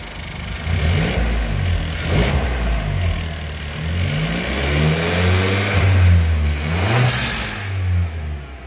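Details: VW Golf TSI turbo petrol engine after replacing a spark plug that had come loose (six months old, under 3,000 km): revs up and settles smoothly, the engine noise gone, with no knock or misfire.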